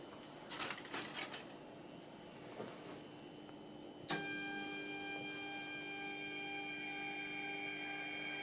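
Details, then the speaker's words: Atlas launcher gyro rotor spin test, powered with 115 V AC across terminals A and B with a 270 nF capacitor: quiet, then a bright whine of several steady tones switches on and holds; gyro spinning but very noisy at full speed. "so you can hear the gyro spinning, but it is very noisy at full speed."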